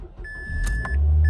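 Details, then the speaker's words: Mazda after replacing the corroded single-wire starter solenoid connector: short chime and brief crank, then the engine fires right up and settles into a steady, even idle; normal start after repair. "And you see there, it fires right up. We'll turn it off and do it again."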